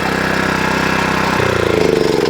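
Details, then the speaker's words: Wacker plate compactor whose single-cylinder engine runs but the plate won't vibrate; at shutdown the pitch drops and a recurring uneven flapping is heard as it winds down. "The machine runs, but it just won't vibrate. So let's turn it on. It might even start because I haven't long had it running. And then let's give it a pulse, see what it do. So there you go. Runs, but no vibration."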